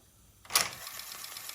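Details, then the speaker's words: Akai GX-R88 auto-reverse cassette deck with GX heads, after repairing a tape-transport grinding complaint (bad idler tire): one click as play engages, then a soft quiet whirr with no rhythmic tuck-tuck ticking; normal quiet tape transport. "it's quiet. There is no that tuck tuck tuck tuck tuck tuck tuck tuck. Perfect."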